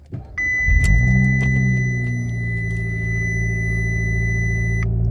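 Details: 2015 car that sat two weeks and showed check engine lights, now two weeks after a Noco Genius 5 battery restore, started in the cold. Quick crank, catches at once and settles to a smooth, steady idle under a brief high chime.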